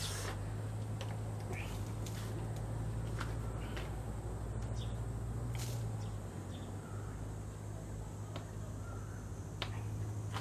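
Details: Two-stroke brush cutter after blade replacement: steady drone, even low hum, no knocking or vibration, running normally.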